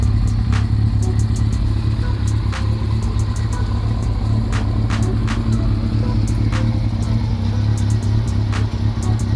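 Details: Honda CB400 after engine rebuild (new original bearings, valve seals, rebored +0.75 pistons and rings, after internal noise), running on leftover carb fuel: steady low drone with light even ticking, idles smoothly without misses; sounds healthy.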